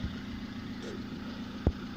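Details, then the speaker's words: Lada gearbox after repair, with the bearing replaced, where the knock came from input shaft rotation and disappeared when the clutch was pressed. Now a steady, even idle hum with only faint clicks, no knock, and no change when the clutch is pressed. "выжимаю сцепление звук не меняется стука нет коробка не стучит"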